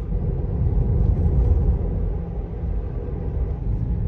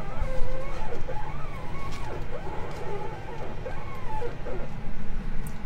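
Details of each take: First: Tesla Model 3 after upper control arm replacement at Tesla service, following 5,500 squeaking km: driving and steering with only steady low road rumble, no squeak or creak; front end quiet. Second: Tesla Model 3, began on a hot (35 °C) southern Italy roadtrip: sharp creaking squeaks rising and falling in pitch while steering, repeated; worn upper control arms squeaking.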